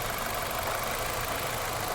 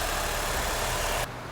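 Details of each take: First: 2006 Nissan Altima with an engine misfire: idle is rough and lumpy, with one cylinder dropping out. A test light shows no arc, and swapping coil packs between cylinders confirms a bad coil pack. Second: 2006 Nissan Altima after engine misfire diagnosed and repaired: smooth, even idle with a steady low hum and no stumble or miss; engine running cleanly.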